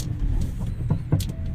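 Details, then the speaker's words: Geely Emgrand GS, 80,677 km, test drive on rough road: heavy low rumble with repeated dull clunks from under car; shock absorber noise, plus worn right-front stabilizer link ball joint found contributing. "我去，这个异响的声音还有点大啊，感觉好像整个底盘都在"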